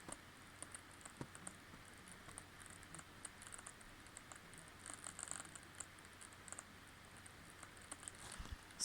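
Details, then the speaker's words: Acer ConceptD 7 laptop over a year old, running Premiere and overheating at 96–102°C: faint irregular scratchy crackling over a low steady hum, with earlier static noise reported, cause unclear; scratchy noise under load. "just running some a simple program in premiere you can hear the scissor noise"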